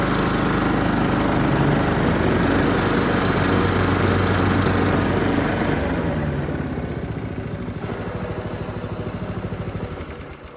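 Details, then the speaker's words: Pull-started trail mower engine on choke after fixing it up, with old thick oil overdue for a change: a steady, even single-cylinder chug that settles lower toward the end; it runs smoothly. "That's probably good. I got her started."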